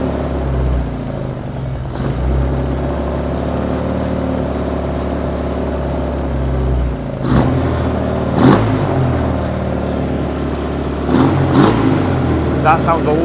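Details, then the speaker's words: Suzuki Katana being recommissioned, after swapping two end plug leads over a suspected failing coil pack: engine revs unevenly with stumbles and hesitation on blips, still rough and not fuelling right; owner suspects an electrical problem, cause unconfirmed. "it's not fueling right definitely not knew that going in"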